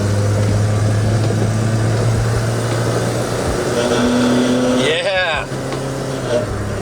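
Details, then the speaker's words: Volvo 240 on the highway under throttle with a large hole in the exhaust: loud raspy low drone swelling as the throttle opens over road noise; holed, rattling muffler leaking exhaust before header gasket, muffler and O2 sensor replacement. "I'm going to give you guys a idea of what this thing sounds like when I hit the gas with this giant hole here we go"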